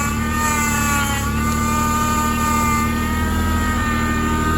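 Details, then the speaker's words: Car with a leaking power steering pump that was run low on fluid: a steady high whine over a smooth idle, said to quiet down after a minute; the pump needs replacing. Power steering pump whine. "power steering pump is noisy it quiets down after a"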